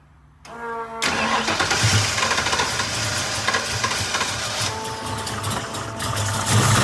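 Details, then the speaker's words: Ford 347 stroker V8 (9.5:1, 205cc 11R heads, Ford Motorsport intake, 750 carb, Anderson N91 cam) first start after changing lifters; fires into a lumpy idle with light ticking/clank, starting to quieten but noise remains; likely lifters still pumping up. "Starting to quieten up a little bit. Still got that noise. We'll let it sit for a second."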